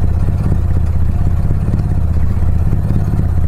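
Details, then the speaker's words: Mitsubishi Lancer CK4 with a damaged airflow sensor fitted, engine warming up: low, uneven idle around 600 rpm with a loose clattery beat and shaking; rough idle from the faulty airflow sensor. "Engine बिल्कुल हिल रहा है । अब इसने घूमना बंद कर दिया है, लेकिन आरपीएम बहुत छोटा है।"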